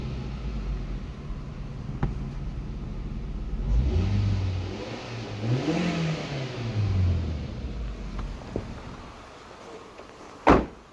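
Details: Japanese contract 2004 Toyota Vitz SCP10 1SZ-FE engine, automatic, 2WD, tested before dismantling: even steady idle with clean throttle blips rising and falling smoothly, no knocks or misses; runs evenly, no smoke, healthy.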